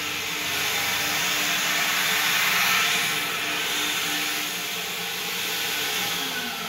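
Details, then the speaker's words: Car wash vacuum about 20 years old, emptied of debris and hardwired with no switch, just plugged in: loud steady rush of air and even motor whine without surging or grinding, sucking far better. "That's loud, but we'll try it. Oh yeah, that's sucking pretty hard now."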